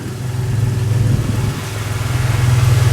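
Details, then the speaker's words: V6 petrol engine after head gasket repair (coolant had caused number three cylinder misfire and white smoke): now idles with low, even rumble, no stumbling or fluctuation; misfire gone, residual coolant still burning off. "I heard it immediately right look at idle idle it's not fluctuating I will go on the other side before it was just running so rough"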